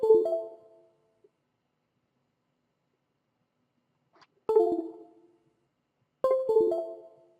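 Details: PixHawk flight controller reconnected after a rover firmware install during a reset: three short musical chime bursts at about 0, 4.5 and 6.3 seconds, the normal power-up tones.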